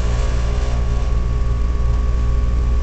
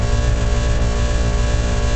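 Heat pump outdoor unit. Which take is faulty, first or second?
first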